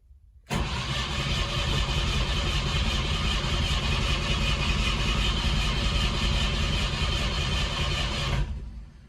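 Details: IZh/Moskvich Kombi carbureted engine just after new air filter, spark plugs and plug wires: catches quickly, then idles unevenly with a lumpy beat, still misfiring; cause not found.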